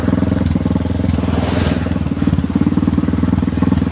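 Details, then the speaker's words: Motorcycle on the road whose muffler end piece has come loose: loud, blatty low exhaust pulses at a steady beat, much louder than normal. Loose exhaust end piece. "suara motor Kok gede sekali ternyata ininya knalpotnya ini ada yang lepas itu teman-teman saya coba akalin dulu biar dia masuk lagi gitu ya biar suaranya enggak terlalu keras teman-teman berisik banget suaranya"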